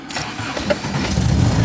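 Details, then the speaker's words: 1970s barn-find MGB after regapping wrongly gapped spark plugs and carb adjustment, cold start on choke in neutral: brief crank, catches almost at once, settles into steady rising idle; healthy start. "Wow, that was pretty quick. So let's see, I'll let it warm up for a second and then we'll see how she does."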